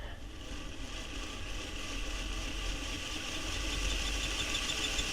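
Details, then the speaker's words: Hornby Locomotion No. 1 model locomotive running: a thin, steady high squeak over the small motor's fast whirr and ticking; the conrod is rubbing on the running plate; oiling the cylinders did not cure it. "different locations and see if we can locate where where the squeak is coming from"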